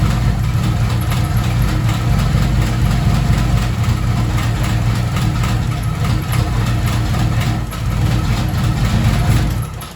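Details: Mercedes W203 with turbo M104 engine on 440cc injectors, possibly too low fuel pressure: low, uneven idle with irregular stumbles and surging; runs rough until original M104 injectors refitted.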